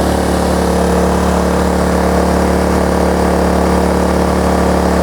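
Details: Kraft&Dele KD681 3 kW inverter generator running one 1.5 kW heater element: steady, even hum at constant speed with no hunting or misfire; carries the load fine, though it stalls from overload with two elements.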